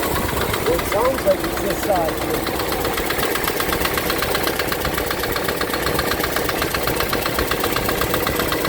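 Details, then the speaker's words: 1965 Ford Thunderbird V8 after rebuild, started cold after checking plug wires and cap numbering: runs well but a light steady tick of about four a second sounds over the idle, source not yet located. "I mean, starts runs good. Well, except for that tick."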